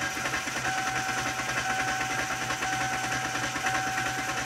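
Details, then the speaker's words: 2008 Kia Sportage, 200,000 miles, no start, suspected fuel pump; uneven lopsided fast cranking galloping about three beats a second with no catch, no cam signals; technician suspects broken timing belt. "Just sounds funny, doesn't it? It's like I'm riding a horse or something. Galloping."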